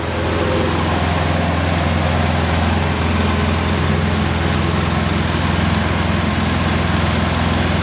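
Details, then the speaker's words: Polaris Sportsman 700 ATV idling after a head gasket replacement; not leaking, quiet, no exhaust leaks at the pipe. Steady, even idle with a constant low beat, no knocks, misses or surging; healthy engine. "there you go Furs like a kitten so that's how you do a head gasket on a 700. it's not leaking that's how quiet it is no exhaust leaks by the white pipe that's good"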